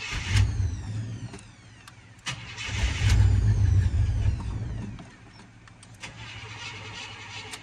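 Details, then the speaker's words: 1972 Buick Skylark, hard to start: long bursts of steady cranking with brief sputters that never catch, until gas is poured into the top of the carburetor to prime it; fuel starvation. "Let me throw a little gas on the top, you guys. Get it to crank over."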